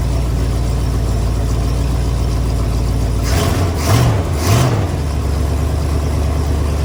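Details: 1974 Ford F250 SuperCab 460 V8, parked 14 years, running on an electric fuel pump: deep, steady idle, two quick throttle blips rising and falling cleanly, then back to an even idle; healthy.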